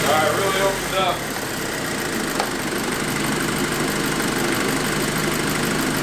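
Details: VW MkV GTI after leak repairs and coolant refill, idling with heat on full to bleed the cooling system after priming the high pressure fuel pump: steady, even idle under a light hiss, no knocks, ticks or hunting; normal idle.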